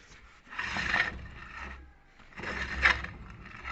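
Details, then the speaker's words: Electric motor before maintenance, on a temporary setup: turns with two rough scraping, rasping bursts then brakes to a quick stop; worn bearings, needing replacement. "como vemos el motor gira pero é llega un momento en donde se frena Pero hay ruido"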